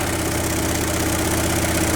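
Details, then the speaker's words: 1968 Chevy C20 pickup, 307 V8, parked over 30 years, new battery, plugs and fresh fuel, primed from a bottle: fires immediately into a steady, even, low smooth idle with no knocks or misses, then dies from fuel starvation. "I told you. Fired up immediately."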